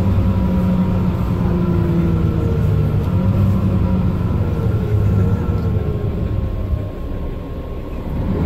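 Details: Mercedes-Benz Citaro O530 LE bus (OM457hLA 12 L 299 hp Euro 5, ZF Ecolife 6AP1700B with overdrive, 12,450 kg) while driving: several clear tones rise and fall with road speed under a low drone. This is the only Citaro in the fleet with a noisy Ecolife automatic gearbox, whining.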